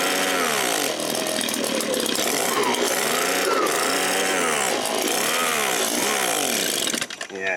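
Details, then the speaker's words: Echo PB-265L backpack leaf blower two-stroke after carb rebuild and fuel line repair, on choke with some throttle, sticking throttle with play: surges and sags unevenly, revs hunting, then dies; runs only on choke, fuel cap possibly needs venting; rough running. "not running so good. So, we might want to loosen this cap a little bit."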